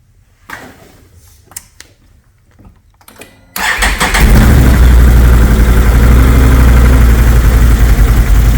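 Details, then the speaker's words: 2022 Can-Am Renegade 850 after its starter repair: brief clicks, then it starts right up into a strong even idle; normal start, though a new starter may still be needed if it skips. "Starts right up. Alright, I think that's it. I honestly don't think it will give me trouble."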